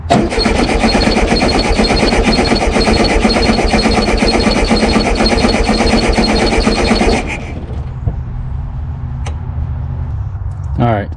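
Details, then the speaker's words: Abandoned 1974 VW Super Beetle, voltage confirmed at coil: steady cranking about two chugs a second for seven seconds, never fires, no spark seen; owner suspects dirty points or bad coil. "if we know we're getting voltage we know we're getting voltage to the coil then most likely either a coils bad or the points are dirty it's probably dirty points"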